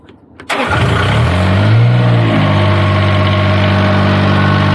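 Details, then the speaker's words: Niftylift HR17N/SP50N diesel engine after reconnecting the DST wire to fix random starting/no-shutdown with error 27 CAN bus fault; brief crank, then immediate catch and smooth, even idle, a normal start. "alright that sounded good no more starting on zone runs now"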